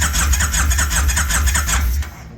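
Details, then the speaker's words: 1999 Kawasaki Vulcan 1500 V-twin submerged to headlights in a storm, cranked after water cleared and carburetor cleaned, fuel flowing: choppy starter pulses with deep chuff for two seconds, not yet caught; cranking toward start. "Yeah, we're getting a little fuel coming out the bottom. That's a good sign. And try to just hold this choke on here and fire it up. She's running."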